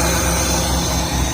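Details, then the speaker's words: Nissan Hardbody D21 truck being built to 400+ hp, new AEM fuel pump on rewired relay, new exhaust with switched cutout; just started, even steady low rumble, not overly loud, no leaks, no misses or ticks; healthy idle, not yet tuned but good AFRs. "Everything is happy. And it sounds good."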